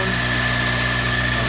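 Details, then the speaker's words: Acura RSX K-series after fitting a fuel return and flex-fuel system, fuel pressure holding at 46 psi with no leaks: a steady, even idle with a low hum and a faint constant whine on top; runs healthy. "right there 46 psi and holding yeah so everything's good everything's running"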